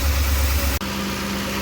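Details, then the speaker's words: 2007 Lincoln Navigator 5.4 V8 idling very rough with P0022 code, eventually dying; heavy uneven low rumble before solenoid replacement; cam position sensors already replaced helped slightly; replacing both VVT solenoids fixed it, now runs smooth. "we changed out the cam shaft position sensors and that helped a little bit but now we're about to change the solenoids and that's how that's how it idles"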